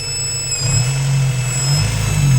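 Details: Honda B18C6 engine: a high, thin whine riding steadily over the low engine hum at constant pitch; source undetermined.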